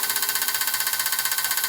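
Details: Electric fuel pump on a bench rig for cleaning 1985.5 Porsche 944 fuel injectors, just switched on from a power supply at no load (about 1 amp): high-pitched buzz pulsing evenly about thirteen times a second, running smoothly.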